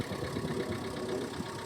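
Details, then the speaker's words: Car bought for £200 and saved from the scrapyard, described as well looked after despite its exterior, just started: a steady, even diesel clatter at idle with no misses, knocks or hunting. Runs really sweet; normal idle. "It fires up. Sweet. Watch it not start now. But it runs really, really sweet."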